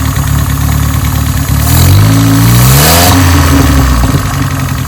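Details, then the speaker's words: 1987 Toyota Corolla FX 1.6L four-cylinder, carbureted, sitting since 1999, dirty oil, low coolant: uneven, lumpy idle swelling into a short rev and sagging back; vacuum leak causing rough running even with most vacuum lines plugged. "Vacuum leak still. We plugged about everything off."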